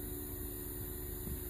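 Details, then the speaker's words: 1981 Trans Am 4.9L 301 Turbo with a newly installed FiTech EFI, key-on with the engine off before the first start attempt; steady, even low hum of the electric fuel pump priming. "I'll turn it on a couple of times and let the fuel pump work hopefully we'll hear it when the fuel pump goes on"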